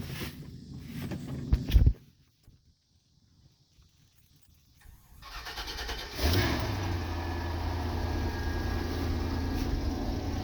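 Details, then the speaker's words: 1997 Chevrolet Silverado K2500 with the 7.4 (454) V8, after sitting, with a newly replaced exhaust: it cranks, catches and settles into a deep idle with a faint steady whine, as the power steering pump is low on leaked-out fluid. "if y'all hear that wine or if y'all hurt that wine that's because my truck is low on power steering fluid because it has sat and um all the fluid is done leaked out"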